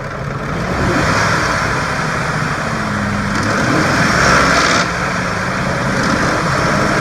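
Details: 2004 Ford F150 5.4L V8, rattle when letting off the gas around 2300-2500 rpm, in drive and park, persists with belt removed: steady drone with a light metallic rattle; timing chain rattle from a broken tensioner, fixed with a timing kit and oil pump.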